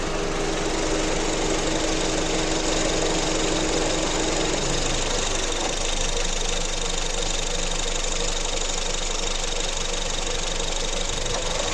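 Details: 2015 Honda Civic at idle: light rapid ticking throughout and a faint whine that drops away after about four seconds; cause unclear.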